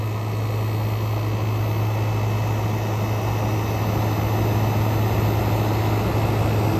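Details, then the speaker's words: Frigidaire Gallery GHWQ103WC1 10,000 BTU dual inverter air conditioner (115 V, 10.17 A), revived after being trashed, compressor at full power: condenser fan running smooth, steady even whoosh of air off the back of the coil over a low drone, no rattle or scraping; normal condenser fan operation. "and that's her fan Runner nice and smooth got plenty of air flow off the back of the coil"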